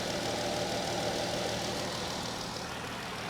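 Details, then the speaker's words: 2014 Dodge Durango 3.6 L V6 at auction, engine bay part missing, coolant looks good: smooth even idle, steady low hum, quiet, no knocks, misses or shaking; healthy. "but it's quiet and we're missing this so someone has been messing around here"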